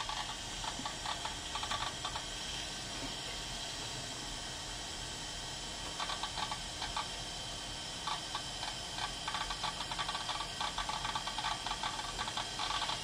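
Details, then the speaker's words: Apple Macintosh LC 475 on first boot after installing System 7.5.3: quiet hiss with irregular rapid ticking and chattering bursts from the hard drive; abnormal hard drive noise, possibly wearing out. "Hear that hard drive? I'm sure that's not good."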